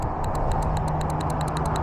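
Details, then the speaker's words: Infiniti G35 with a 1JZ swap, main relay pulled from the IPDM and bench-tested: crisp, strong relay clicks about six a second over a low hum; the relay switches cleanly and works. "So clicking feels nice and strong. So that's working there."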